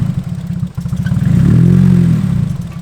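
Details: Lumpy, uneven pulsing at idle that stays irregular as revs rise from a Nissan S14; misfire persists after fuel filter replacement, igniter next suspected, cause unconfirmed.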